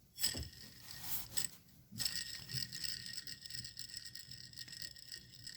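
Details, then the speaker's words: Worn serpentine belt idler pulley removed from a Honda Odyssey and spun by hand: dry, gritty grinding rattle fading as it slows. The bearing is worn; the alternator pulley was also failing. Replacement fixed the grinding. "so this is the old one hear the sound here the grind still goes rolling smooth but there's a significant loud noise"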